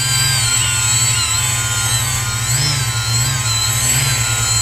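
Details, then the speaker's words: Hobbyking X666 quadcopter on a KK2 LCD controller, armed after setup: motors hold a steady high whine that speeds up or slows down per motor as the frame is tilted, correctly countering the tilt. "so with that spinning of course you don't have to listen to my motors but if I move this like if I drop that you can hear that motor speed up this one slows down back here"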